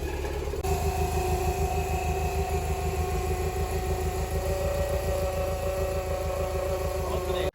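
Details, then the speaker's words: Toyota MR2 at idle with a steady high-pitched screech over a lumpy idle; first suspected the water pump bearing, but a stethoscope on the alternator showed it changing with lights on, so it is a failing alternator bearing. A battery light had flickered the day before. "right so we figured out the problem it's actually the alternator that's going bad"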